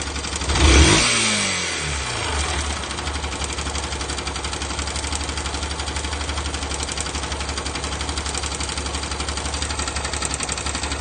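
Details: Yamaha YBR125 single-cylinder motorcycle blips throttle once, then idles with a busy metallic engine rattle.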